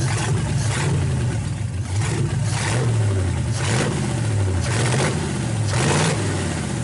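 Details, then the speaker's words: 1931 Ford roadster after fitting a progressive carburetor linkage with brass bushings, idle circuits shut and adjusted, vacuum advance working, fuel lines plumbed: repeated throttle blips about once a second, revs rising and falling cleanly without misfire or knock; normal idle and revving. "So we'll start it up here and let you hear it run. I've got the idle circuits completely shut here. I've got them adjusted here."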